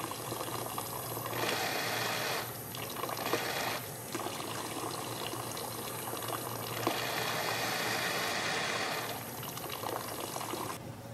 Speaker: if the obstruction is smaller and pretty deep in the nozzle it may still lift really promptly but how the overflow behaves after is the ultimate giveaway